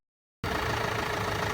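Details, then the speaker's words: Renault 5 that stood for 20 years, on a jump pack with new battery terminals and fuel poured into the carburettor: the starter turns the engine over slowly in an even, laboured rhythm but it never fires; cause of the slow cranking unclear. "I've changed the terminals it's got a good uh it's spinning over but it's quite slow"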